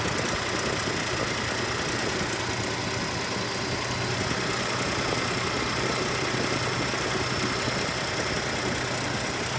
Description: Millers 2018 Ford Expedition tick at cold start